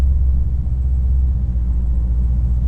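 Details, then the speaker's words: Jeep SRT 6.4 Hemi, rebuilt with forged internals and a big cam, starting up with tuning issues and O2 sensor codes, stalls below about 1,000–1,500 rpm: deep, heavy, uneven loping idle rumble. "All right, she turned on. Can you hear that rumble, man? Whew."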